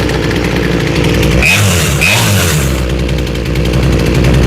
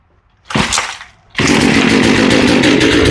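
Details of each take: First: Small chainsaw with a freshly rebuilt carb after high and low screw tuning by ear: steady two-stroke burble at low speed with an even beat and no surging or dying; it idles cleanly with the chain not moving. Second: Small chainsaw with a freshly rebuilt carb while the high-speed screw is adjusted by ear: a short rev dies back, then it screams at a flat, strained pitch without four-stroking; the high-speed mixture is lean.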